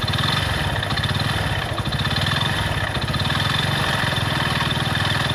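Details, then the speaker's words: Hero Splendor motorcycle single-cylinder engine running: fast regular knocking each revolution from a damaged crank with broken bearings, big-end knock; piston can sound similar; engine opened to confirm. "इसके engine में से एक आवाज़ ए रही है इसकी crack मिट गई है खराब हो गई है उसके बेयरिंग वगैरह टूट गए हैं इस वजह से इसके इंजन में ऐसे आवाज़ ए रही है"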